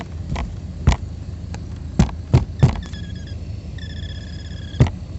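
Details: 2016 Alfa Romeo Giulia blower motor under the glovebox, after sitting for hours in cold, dry weather: low whir with irregular thumps and intermittent chirps. It fades as the motor warms after a few minutes, is quieter in rain, and changes when the shaft is tapped.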